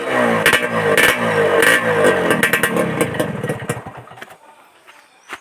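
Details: Suzuki Satria Hiu two-stroke under restoration, after glasswool/asbestos packing was fitted in the racing exhaust: sharp revving blips rising and falling, the once-tinny note now denser and full with no rattle. Normal two-stroke exhaust revving.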